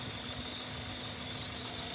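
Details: Running engine at idle, ultrasonic tester near the pulleys (alternator, compressor, water pump, idler): steady, even idle with a smooth hiss and faint constant high tone, no knocks or chirps; nothing abnormal to the ear.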